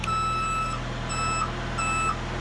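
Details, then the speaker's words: HA130RTJ lift switched to ground controls with the axles not fully extended: steady high beeps about two per second over a low engine hum, an alarm warning that the axles are not locked. "it's giving you an audible alert saying hey there is a problem something's not set"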